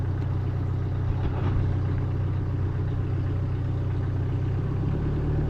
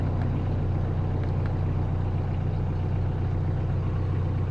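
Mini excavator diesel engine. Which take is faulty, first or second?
first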